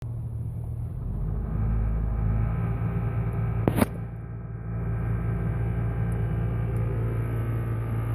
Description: Jeep Wrangler 4.0 automatic makes strange noise vibration at low rpm only in Drive and Reverse When go into higher RPMs the noise is gone can anyone tell me from where the noise comes? thanks